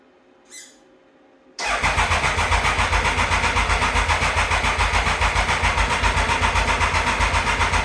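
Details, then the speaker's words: 1996 Triumph Thunderbird after the sprag clutch repair: a steady starter churn at about four compressions a second for several seconds that never catches; the owner suspects fuel wasn't reaching the carb and switched between reserve and the main tank. "Fuel might not have been getting to the carb here, so I heard it actually move around here when I went between reserve or reservoir."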